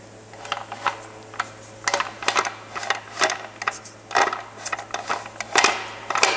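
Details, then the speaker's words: Removed Porsche 944 transmission, transplanted from a 250 diesel car and unable to handle the power, being moved by hand: irregular sharp clicks and clatters like metal chips tumbling; broken gear teeth rattling inside, to be replaced. "there is something inside of the transmission that is not happy"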